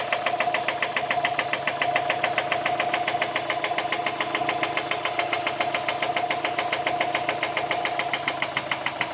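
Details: Subaru EJ204 engine at idle: sharp metallic knock about three or four times a second, locked to engine speed; rod knock, teardown found a spun connecting rod bearing on cylinder one.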